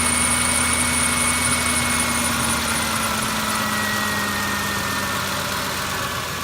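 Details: Ford F150 truck idling with a steady whirring whine and faint high squeal; the cause was the belt tensioner and a couple of the pulleys, and after replacing them the truck was quiet again.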